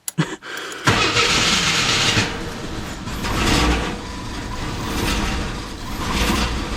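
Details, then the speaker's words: AMC Eagle 258 after TFI ignition upgrade and coil wiring, test fire: short crank, stumbles unevenly then settles into fast, surging high idle, seems to miss. Owner suspects choke installed backwards, possibly a vacuum leak; unconfirmed. "let's go ahead and fire it up I've got the bag connected see if I got that coil in the correct way and open this door and Oh rough start the carburetors and burst of leaves I guess I got it wired correctly"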